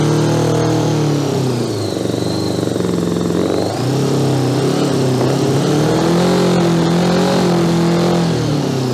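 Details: 1982 Honda GL1100 Goldwing flat-four, sat 12 years, throttles assisted partly open: uneven revving that surges and sags, never settling, heavy exhaust smoke; gummed carburettors, only some cylinders firing, carb work needed.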